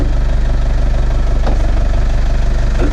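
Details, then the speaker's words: Camper on the road in Poland: deep regular thumping about two to three beats a second over the running engine; something knocking, source unclear, possibly a wheel. "скажи ребят как обычно проблема на дороге наносите стучит колесо или не колесо или что-то стучит"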